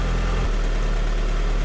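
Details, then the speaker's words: 2003 Honda Civic LX idling after battery replacement (Group 51) and a rev: smooth even low hum, no knocks or misses; charging voltage reads 14.6–14.61 V, alternator doing its job. "so we're sitting here idling now after it revved up it's 14.6 14.61 so I think that's good seems like the alternator is doing its job"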